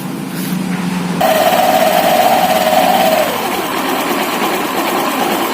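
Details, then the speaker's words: Honda Vario 150 FI scooter after fixing a noisy CVT by washing the variator, rear pulley and belt and replacing one part: it revs and settles to an even, steady drone without scraping or rattling; CVT now runs smoothly. "Awalnya terdengar kasar , tapi sekarang sudah halus. Sekarang sudah lancar."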